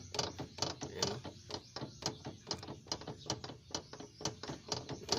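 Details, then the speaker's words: Nissan Sentra front wheel rocked: sharp metallic clunks, about two a second, from worn tie rod end, ball joint and CV joint, causing knocks over humps and rough roads; shock absorber also blown and bushings torn. "So yan yung ipi-fix natin yung ingay na yan. Yung galing yung ingay na yan sa tirod in joint tsaka full joint tsaka dito sa velocity."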